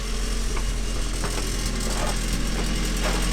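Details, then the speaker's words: Turbo NB Miata with newly finished exhaust: deep steady drone with loose metallic rattles about every half second. No leaks found; owner suspects something inside the resonator and plans to take the pipe off, not confirmed. "okay guys so we're done Miata sounds sick besides that stupid rattle I got to take the whole pipe off see if there's something in that resonated"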